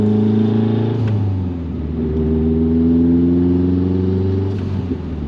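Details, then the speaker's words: Nissan Pulsar GTI-R rebuilt engine with about 75 miles on the new build, oil pressure good at about 70 psi at 5000 rpm, while driving: a steady low knock under the engine note. Rod knock; the oil came out bad. ">> Definitely sounds like she's breaking up."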